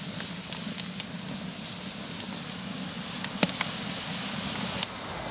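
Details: Afghan kazan pressure cooker being seasoned by boiling milk on a fire, pressure lifting the weighted valve; steady high hiss of steam escaping the valve with a few faint clicks, even and uninterrupted; normal steam release.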